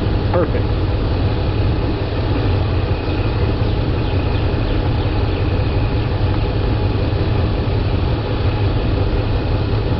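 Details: 2003 Dodge Ram with 5.7L Hemi V8, about 200,000 miles, after power steering pump replacement for a leak: steady idle with a faint even pump hum while the wheel is swung lock to lock; no whine or groan, normal pump operation; fluid slightly low.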